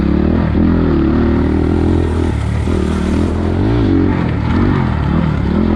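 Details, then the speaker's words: 2020 SSR SR300 Chinese dirt bike fitted with a Lectron carburetor and idle raised, trail riding over chatter bumps: smooth, even thrum rising and easing with throttle, no stumble or bog. The engine is fuelling correctly. "you guys can hear the bike it's just turn like a kitten it's getting the fuel it needs no more no less all i've done is raised the idol i got it the sweet spot"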